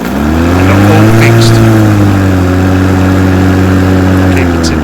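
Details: 36V Ryobi twin-battery mower after beeping and a red light stopped it starting; the catcher was clicked in properly, and it now spins up to a steady, smooth electric hum with no beeping.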